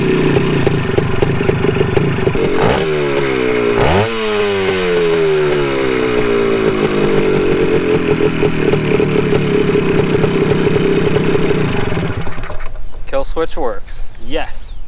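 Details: Restored 1974 Honda MT250 Elsinore two-stroke, warmed up: a crisp, busy crackle with quick throttle blips, then a clean cut-off when the newly hooked-up kill switch is hit. Normal running.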